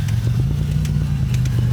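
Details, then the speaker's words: 1990 Toyota truck on a test drive after a computer reset to relearn; low, uneven idle rumble with irregular stumbles, stuttering and slow to pick up from a stop, with rpm bouncing. "It's still idling pretty weird. I mean, seems to be driving like decent."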